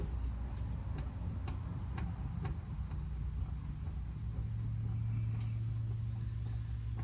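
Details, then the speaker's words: Old pickup, driver-side front wheel rocked side to side with the engine idling: sharp pops about twice a second from inside the hub. There is play; either the wheel or the wheel bearing is loose, and tie rod ends are still to be checked. "And if you look at this wheel, it got a little bit of play side to side. I can hear it popping inside this hub."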